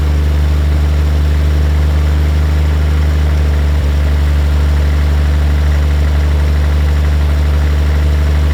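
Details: 1950 Chevrolet Fleetline Deluxe six, sitting for years, possibly stuck part jogged loose, accelerator pump working, kept cold: deep, even low idle hum with no misses, ticks or knocks; normal idle.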